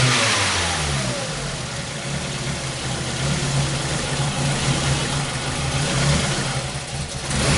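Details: 2001 Ford Focus Zetec, misfires that began after an earlier timing belt job and persist despite a new OEM coil; engine held on throttle with revs rising and sagging unevenly, stumbling near stall, worsening as it warms up: multi-cylinder misfire with hunting rpm.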